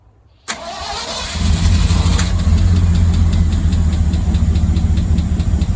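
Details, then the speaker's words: Old Ford bus engine first start after weekend teardown and rebuild for no-power problem: cranks briefly, catches and settles into steady even low rumble, no knocks or misses; normal start and idle after repair. "All right, we have had success. Take it apart, put it back together, it still runs."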